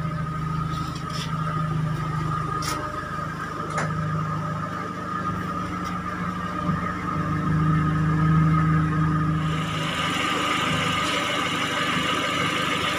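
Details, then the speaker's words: Timor DOHC (Kia Sephia S515i) after battery voltage restored from a weak, drained battery: light clicks then engine catches and settles into a steady even idle; starts and runs normally. "Nah, mesin sudah hidup ya teman-teman, sudah bisa di starter karena baterai voltasenya sudah normal."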